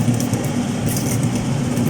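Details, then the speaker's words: Refrigerator freezer fan motor after repair, heard inside the freezer: steady low hum with a soft airy whir, no grinding or scraping. Before repair it was very noisy and rasping and the fridge barely cooled or froze ice; now normal running. "natin check na natin yun oh ganda na yung tunog nung ano yung fan niya sa loob"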